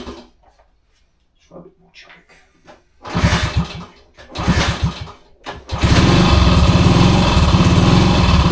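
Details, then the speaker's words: 1966 Honda C200, off the road since 1972, on full choke: quiet uneven popping, then ragged bursts and fast lumpy putter as throttle opens; runs rough, fuel possibly not getting through, cause unknown. "Oh, listen to that. Oh, it don't sound well, but it runs. That don't sound well at all. It's not well."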